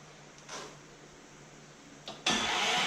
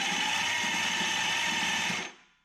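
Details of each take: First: 1973 Dodge Dart with Gen 3 Hemi, big block Mopar gear-reduction starter on a home-made aluminium adapter plate, first test: two even, strong crank bursts, engine not firing; starter cranks normally. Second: 1973 Dodge Dart with Gen 3 Hemi, cranked with starter on a nearly dead battery to free a stuck pinion gear; sluggish uneven whirring, about two compression pulses a second, slow cranking from weak battery.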